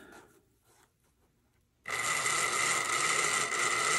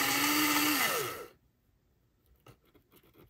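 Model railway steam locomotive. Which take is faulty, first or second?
second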